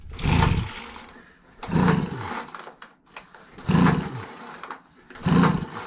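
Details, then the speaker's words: Craftsman 25cc gas blower with damaged carb adjustment screws, leaking cap vent and patched fuel line, primed with starter fluid: four pull-start bursts, each a short rough rasp that dies immediately; cranks but won't run. "Yeah, it's not gonna go. Yep. Oh. And it dies down."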